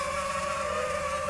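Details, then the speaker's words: DJI FPV drone flying on third-party Amazon props: steady high motor whine with a wavering, rough buzzing edge. Strange vibration, source unclear. "okay so on these amazon props i was getting some weird sounds out of the motor it's weird i don't know if you guys could hear that but i was getting a very strange vibration"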